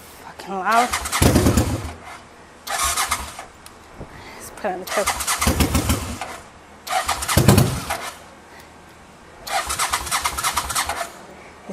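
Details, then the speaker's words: 1985 Honda VT500 V-twin after an engine rebuild, start on choke with open exhaust: short ragged bursts of uneven firing that catch and die; a hard start, with the owner suspecting spark plugs and trying starter fluid. "but it works like you you guys heard that little startup and earlier I turn it on and it was running it's not running as well"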